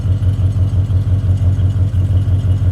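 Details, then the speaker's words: Little engine with 1.5-inch single exhaust, parked with a little heat in it: soft low burble at an even, unhurried rate, smooth and quiet with no misses or knocks; healthy idle. "You can hear how nicely this engine runs, how smoothly it idles."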